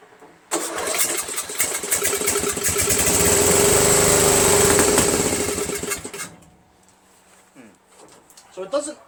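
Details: Murray Select 13.5 hp 40-inch riding mower with Briggs flathead engine, sat overnight, started by jumping the solenoid: starter cranks, engine catches, runs roughly a few seconds then dies; won't keep running.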